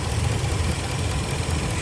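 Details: 2017 Ford F250 6.2L V8 (two spark plugs per cylinder) setting P0300 random misfire code idles with a low, steady rumble, no audible stumble or miss; eventually fixed by replacing all 8 coils and 16 spark plugs.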